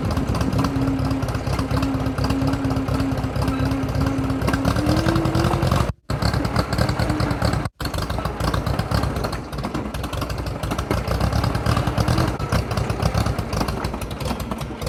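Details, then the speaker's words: Drott T340 skid shovel engine at idle: an uneven, stumbling chug with a couple of brief drop-outs. It is misfiring, cause unknown. "you can hear it's misfiring for something"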